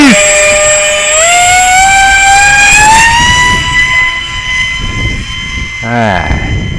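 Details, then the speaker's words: XF-7 RC plane under 1 lb on 4S 2200 mAh battery at full power: shrill motor whine rising with throttle, rough buzzing edge; abnormal prop noise, later found the overheated ESC melted its glue and chewed the motor wires. "oh man that wasn't good that prop was making some strange noises"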